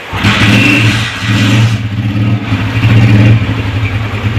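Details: Motorcycle after CDI unit check and carburetor idle and fuel adjustment: revs up cleanly, then drops into a steady, even idle with a regular low beat and no misses; running properly.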